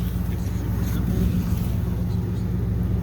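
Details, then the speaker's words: 2009 Ford F350 with 5.4 V8, a snow salting truck, exhaust running with no muffler: loud, deep, rumbling idle with an even unmuffled burble before the exhaust repair. "So I'll let you guys get a little snapshot of what it sounds like when she's running with no muffler."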